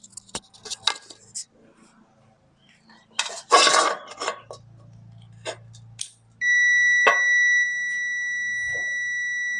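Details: Mitsubishi Legnum wiring loom in multimeter continuity mode: after handling clicks, a steady continuous beep appears when the O2 sensor is plugged in, continuity where none expected; owner unsure if normal.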